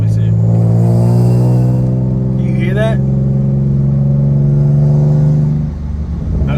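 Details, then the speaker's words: Nissan 370Z Nismo with aftermarket test pipes and exhaust kit, while driving: deep engine drone with a buzzy, raspy rattle that swells with revs; owner hopes resonators will fix it; exhaust rasp. "so guys we are on our way to the shop now i want to know i want to see if you could hear the rattle rasp noise that i'm talking about is"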